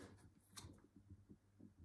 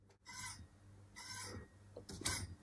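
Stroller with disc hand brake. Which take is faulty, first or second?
second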